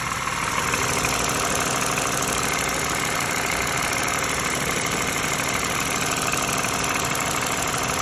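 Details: Used 2013 Lexus RX350 base model, US spec, steady idle with busy tinny rattle about three per second, also heard in cabin; front right engine mount recently replaced, air filter changed; source unknown.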